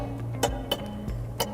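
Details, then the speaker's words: Metal heating pipes expanding when heated and contracting again give four sharp, irregular cracks over soft background music; typical thermal expansion noise, often after a boiler replacement. "handelt sich dabei um ein typisches Geräusch welches beim Ausdehnen von Heizungsrohren aus Metall entstehen kann die Rohre dehnen sich bei Erwärmung aus und ziehen anschließend wieder zusammen dadurch kommt es zu dem Knackgeräusch"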